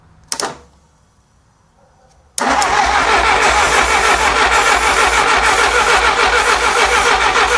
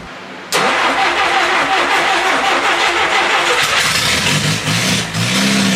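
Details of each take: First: 1957 Willys FC-150 engine cranked with starting fluid: steady cranking for about eight seconds, never fires; the coil gets power, but the distributor sends no spark to the plugs because of wrong plug wire order and timing. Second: 1957 Willys Forward Control FC-150 four-cylinder after rebuild work: starter catches quickly, engine fires and settles into a steady even idle with a brief blip; running functioning motor, with a hole in the exhaust noted.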